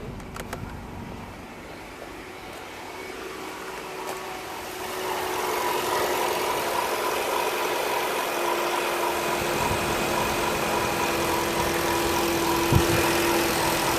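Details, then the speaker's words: 2007 Nissan Qashqai J10 petrol at idle after AC repair (compressor clutch previously not engaging): quiet even idle, then the note lifts and a steady hum joins as the AC compressor clutch pulls in; cold air confirmed, normal. "Let's start the car. Okay. Oh, I heard straight away. I think I've heard the clutch engaging straight away."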